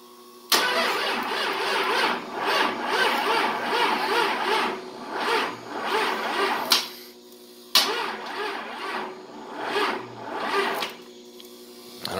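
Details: 24-valve Cummins with hot-wired standalone ECM/PCM after a Dodge delete, fuel pump running, battery on a booster charger. Two long spells of slow, even cranking with compression pulses but no start. Battery amps and fuel delivery are suspected, not confirmed.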